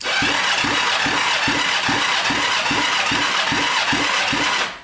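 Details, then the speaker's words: 1980s Kawasaki Mule 450cc twin, seized and rusted, after top-end rebuild: strong, even cranking about four beats a second; compression rose to 150 from 90 on this cylinder, suggesting the rings had not been seating properly. "that one went up to 150 so yeah the rings are not seating properly at all"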